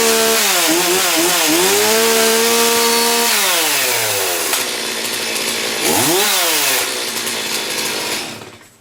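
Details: STIHL MS270 chainsaw, cold start indoors: catches, blips up and down cleanly, then settles into a steady, even high idle; runs healthy.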